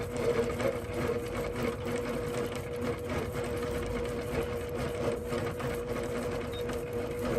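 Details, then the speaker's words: APQS longarm quilting machine in stitch-regulated mode with Quilt Glide off, low speed, doing fairly small meandering. Needle chatter sits over a motor hum that rises and eases with movement and stops when movement stops. Normal stitch-regulated motor operation. "When your stitch regulator is going and you're moving, it's going at the speed that you're moving. So you hear the ebb and flow of your motor."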